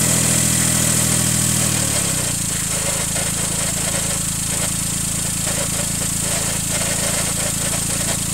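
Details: 2000 Daihatsu Mira Gino Turbo, EF-DET three-cylinder (engine replaced once), cold idle: fast rattling tick about four per second, heard only until engine warms; cause unclear.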